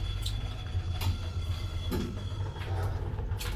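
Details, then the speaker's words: Old Otis lift built in the 1950s, 8-person capacity, at Browns in York, descending from floor 1 to G: low steady rumble with irregular knocks and jolts; rough bumpy ride. "it's a very old Otis lift drop one and down to G very bumpy lift wow"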